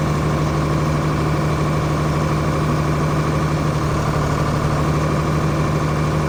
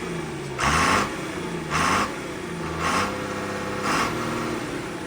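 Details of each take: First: John Deere 4850 tractor six-cylinder diesel with white smoke and power loss, injector lines cracked one by one at idle: slightly uneven, lumpy beat with no pitch change when number 3 is cracked; dead injector. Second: John Deere 4850 tractor diesel that was smoking and losing power, after the injectors were fixed and the fuel lines bled: steady diesel clatter at idle with slow, smooth rev swells and even firing; sounds normal again.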